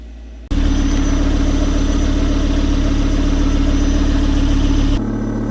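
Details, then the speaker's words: Volvo V70 started after exhaust hole repaired with a sealing repair kit; smooth, even low idle with no raspy puffing or hiss: exhaust leak fixed, normal idle. "now you can hear clearly the difference"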